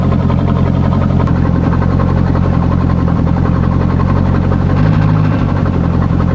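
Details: C5 Corvette on a lift with the exhaust cut open ahead of the mufflers: loud, deep, uneven idle burble with raw, echoey bark, like open headers or a broken exhaust; too unrefined.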